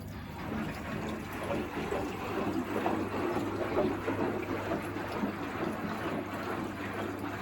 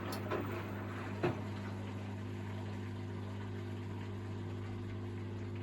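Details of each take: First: Miele WS5073 professional sluice washing machine, commercial sluice drain swapped for a domestic Miele drain pump: steady low pump hum under gurgling water rush as it starts pumping out the filled drum; new drain pump working properly. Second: Miele WS5073 professional washing machine with its commercial sluice drain replaced by a domestic Miele drain pump: steady, low pump hum with a faint water trickle; it drains, but weakly and sluggishly.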